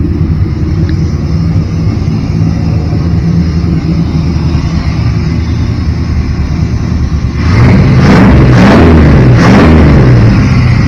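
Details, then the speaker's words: Barn-find shortbed Chevrolet C10 truck V8 with 3-inch Flowmaster exhaust, after fuel hose work to fix a stalling problem: steady, even idle with deep rumble and clean throttle blips; runs normally. "give it a little sounds pretty good i like flowmasters that's what that is three inch for the floor master yeah i think that sounds pretty damn good"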